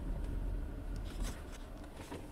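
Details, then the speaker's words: HTC RE camera on a windshield suction mount while driving; scattered light ticks and rattles over road rumble from something loose inside the camera, owner unsure if a first-revision defect. "is the rec camera itself I don't know if this is an issue with this being a first revision product maybe it's a a defect within the product I'm not really sure"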